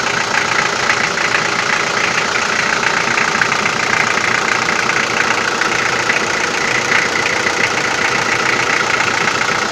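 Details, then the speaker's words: Toyota 4B diesel, cold start with glow plugs, after injection pump repair with new plunger pair and injector: loud uneven clatter about three knocks per second, strongest cold and on throttle blips, fading when warm; cold-start diesel knock, cause uncertain. "так сейчас заведу машину штук будет сильный пока свечи накаливания маленько не подаст минут потом чуть послабее а когда обороты упадут прогревочные штук будет немного слышала в основном услышал на улице когда мороз на улице и постукивает перед при перегазовке"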